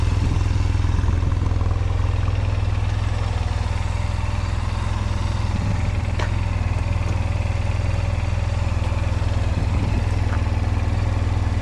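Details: 2005 Honda Silver Wing scooter, first start after sitting neglected (moss-covered), oil and coolant checked; oil and ABS lights on at start; even, low, steady putter with a consistent beat, no knocks or misses. Normal idle.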